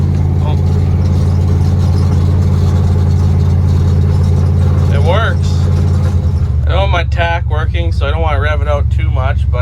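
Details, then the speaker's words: 1977 Dodge D200 360 V8 with new intake and rebuilt, untuned carb, quick throttle blip in first gear on a test drive; deep steady rumble holds even with no misses or rattles before music covers it, described as sounding nasty: healthy response. "uh this is just a quick little blip of the throttle and first gear [Music] oh she sounds nasty"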